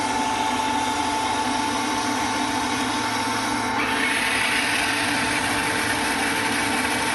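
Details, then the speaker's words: Water softener control valve motor advancing through a forced regeneration (backwash, brine draw, rinse, fill): a steady, even mid-pitched electric hum with no grinding or stalling; the valve motor runs normally. "So when you hear that motor quit running, you can advance it again."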